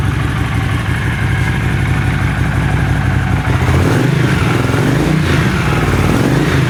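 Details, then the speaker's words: Warm Honda CX500 twin after carb cleaning and bench sync, idle screw set to about 1000 rpm: steady low burbling idle without choke, no stumbling; earlier no-idle-without-choke and white smoke when warm appear fixed, normal idle. "so previously i could not get it to idle without the choke on and when it got warm it would skew a ton of white smoke so both those problems seem to be gone"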